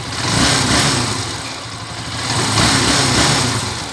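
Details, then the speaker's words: TMX125 Alpha motorcycle converted to 175cc, gear shifting cam ground smooth, road test with engine fairly hot; single-cylinder pulling evenly through gentle revs, no rattle or clatter, clean smooth note; owner's earlier noisy rattling now gone. "Ayan yung andar ng makina nyo. Medyo mainit na yan mga kabro."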